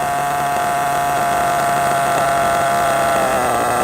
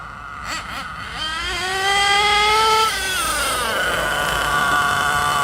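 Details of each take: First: RC truggy nitro engine tick-over after high- and low-speed needle tuning; high steady buzz with a faint wobble near the end, settling down without stalling or hunting: tune judged good. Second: Hot nitro engine in an RC truggy on stock base needle settings before tuning; shrill wind-up then a fuzzy, blubbery drone: running rich.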